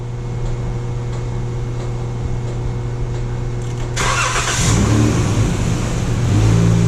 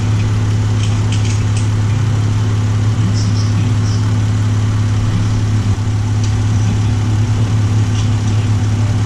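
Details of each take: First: 2012 Chrysler minivan that would only start with a jump pack despite good battery: steady low hum then sudden cranking and catch once power reaches the fuel pump; internal TIPM fuel pump relay intermittently not energizing, diagnosed with test light and PicoScope. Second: 2012 Chrysler minivan idling after temporary bypass of bad TIPM fuel pump relay, fuel pump powered full time: smooth, even idle with steady low hum, no misses, knocks or surging; healthy.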